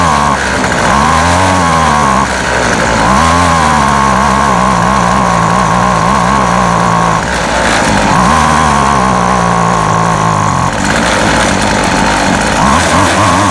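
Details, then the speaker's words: Featherlite Extreme FX 265 trimmer, 25cc two-stroke, bought used, after carburetor reassembly: high-pitched buzz repeatedly sagging and recovering every few seconds; rough surging running, owner suspects carburetor adjustment or metering diaphragm. "primer bowl is full there um either need some adjustment or that diaphragm that metering diaphragm maybe something to go back and look at and replace"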